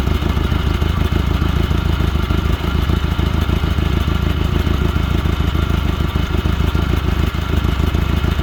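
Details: Glastron Carlson CVX-16 boat engine restarted on the first day of a rejuvenation project, after covering the last intake holes, to check it blows water out; steady low drone with a quick even beat, no misses or knocks, running normally.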